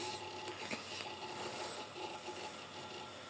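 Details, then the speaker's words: Compaq Presario 7CY108 retro PC with Windows Me, at boot: a harsh, scratchy rasp runs steadily over a faint hum; hard drive grinding noise, cause unknown. "that's a hard drive it's a horrible noise if you can hear that"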